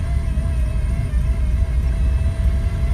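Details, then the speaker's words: Lada Priora engine: the gear-driven water pump failed and its impeller was completely destroyed. The car suddenly stopped pulling while driving and began making a terrible noise, a heavy low rumble with a thin steady whine. "общем вот такое зло я ещё ни разу не встречал ребята как уничтожила помпа на шестернях вот такая вот фигня посмотрите с крыльчаткой что вся крыльчатка просто уничтожена"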